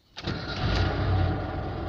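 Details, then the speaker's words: Warm car, previously frozen with water in the engine, switched off and restarted: quick crank, catches at once and settles into a steady, even idle with no misses or knocks; starts fine. "хорошо все работает все в норме"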